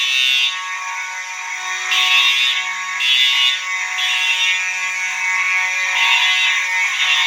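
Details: Fire alarm horn test: one horn sounding continuous (uncoded), another horn coded to code 3; loud piercing tones near 3-4 kHz, one steady, another cutting on and off in a temporal pattern; both working properly.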